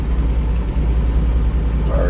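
Low, steady engine burble with an even beat and no misses; this engine is idling cleanly after a cold start.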